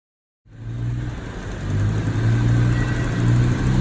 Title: Major Clicking noises and vibrations